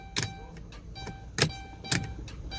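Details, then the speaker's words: 2012 Dodge Caravan, towed in no-start: a few single sharp clicks over a steady dash chime with no cranking; starter engaging against a seized engine. "I hear a click, guys."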